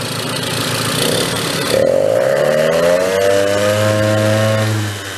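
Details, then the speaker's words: 1970 Benelli mini bike, revived after sitting 40+ years: the small two-stroke blips to a flat, burbly buzz that won't rev cleanly and runs too rich. Owner suspects someone drilled the carburetor jet too large. "sounds like it's a low on the rich side though because it doesn't rev like it should sounds like it's gone the other way yeah like I said too rich"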